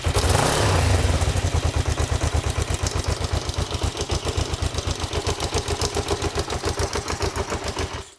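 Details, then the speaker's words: Kawasaki GPZ 500S, left outside three to four years, restarting with the choke off: catches and settles into a steady, low, slightly uneven idle of about four pulses a second, running on its own. "three to four years stuck outside I am well chuffed and not very smoky either"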